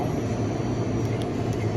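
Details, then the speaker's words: Electrofreeze soft serve machine during tune-up, left-side mix pump running at 6 psi until satisfied: even motor hum at constant pitch without rattles or scraping; pump system proper, reading 43, air bleeding back as the duckbill is missing. "So it's at 6. It's running. Wait. See if I'm satisfied. Okay, pump satisfied."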